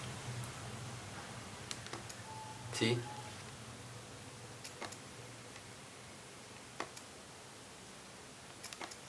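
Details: Fujifilm X-E1 camera switching on and entering playback in a quiet room: sharp clicks and a short crunchy rattle from the lens mechanism, an unnatural crunching noise.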